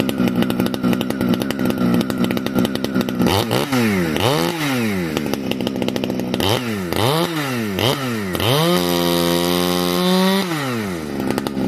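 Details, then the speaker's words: Heavily modified Husqvarna 455 chainsaw with new homemade muffler (can); crisp high revs dip and recover smoothly as chain bites and clears under load — normal full-throttle running. "Listen to this new pipe. Compression's starting to build in this thing. Dog wicked."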